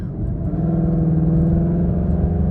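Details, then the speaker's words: 2019 Mustang GT V8, Corsa Xtreme active exhaust after warranty fix of flapping valves that hissed, normal mode: low, even, tame rumble with steady hum, no hiss or flutter; healthy exhaust. "it's actually kind of very tame in normal mode which I guess it's supposed to be"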